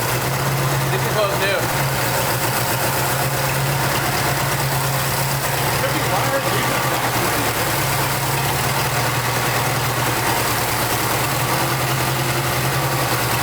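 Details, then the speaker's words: 1989 Jeep Wrangler YJ 4x4, 2.5 L four-cylinder, manual, revived after sitting 12–13 years, idle air control valve cleaned: steady, slightly raised stable idle with a smooth low hum, no misses; running on its own fuel injection. "It's running under its own fuel, its own injection, its own everything."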